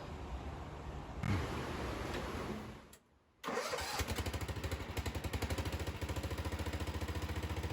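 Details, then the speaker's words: 1975 Bolens G14 garden tractor on jump leads to a spare battery after drive-belt repair (it used to throw the belt at shutdown): cranks, briefly quiet, then catches and settles into an even putter of three or four beats a second; belts stay on, runs normally. "we've tested it numerous times now and the belts haven't come off"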